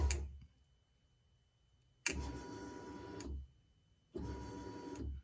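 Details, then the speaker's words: 2010 Silverado fuel pump jumped directly to power and ground: short clean whirring bursts, pump and rear wiring good; fault suspected in the fuel pump control module. "can you hear it so the pump's running so we know our wiring from back here up to the pump is good"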